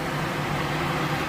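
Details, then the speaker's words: 2006 Acura TSX after condenser fan replacement, engine idling with AC on: steady, even fan whir with no rubbing or rattle; the condenser fan is running normally. "Turn on the AC. Fan should start spinning. Oh man. There you go. Yep. Fan came on."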